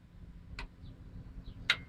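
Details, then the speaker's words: 2004 Dodge Ram 1500 EVAP purge solenoid, pulse-width-modulated by the computer on the ground side, diagnosing codes P0440/P0441: two sharp clicks over a faint hum, solenoid cycling normally; fault is the natural vacuum leak detector switch stuck open. "so like I said this is pulse with modulated and as you can hear the you know the cylinder is clicking"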